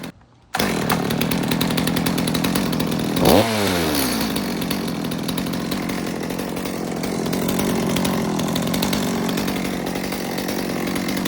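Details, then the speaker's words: Warm Stihl MS200T chainsaw run without a chain after cracked fuel line replacement: small two-stroke revs steadily but stumbles briefly when the trigger is hit, then recovers; low-speed jet likely needs tuning, a bog on throttle. "it sounds like the low jet might need a little work because it's got a little bit of a bog when I hit the trigger."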